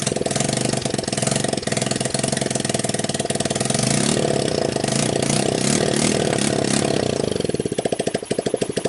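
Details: Returned TMEC 150cc GY6 clone scooter engine, test-started still in its shipping box with a jump pack wired straight to the starter: it cranks, catches and settles into a rapid, even popping idle that picks up cleanly with throttle; healthy start.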